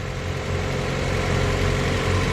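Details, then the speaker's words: Mazda Miata, replacement engine with new clutch, rear main seal and exhaust manifold: smooth, even low idle with steady rhythm, no knocks, misses or rattles; runs unbelievably well, normal idle. "solid it's actually kind of unbelievable how good it runs"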